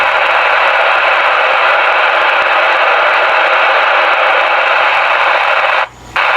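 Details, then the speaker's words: Icom 28H mobile base radio with a broken speaker: constant loud hiss and crackle like heavy rain, no clear voice, briefly cutting out near the end; badly distorted, poor-quality speaker audio. "Pagka ganyan na Lodi yung audio ng inyong radyo, syempre yung quality din ng audio na naririnig ninyo ay talagang hindi maganda."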